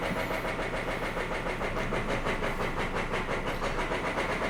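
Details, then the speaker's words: 3-year-old diesel truck, after five fuel-pump priming cycles, starts but barely runs with rough, uneven lumpy pulsing about three to four beats a second; hoped-for clogged injector or fuel fault ruled out, motor found completely destroyed. "It's running, but barely. Yeah, so that wasn't it."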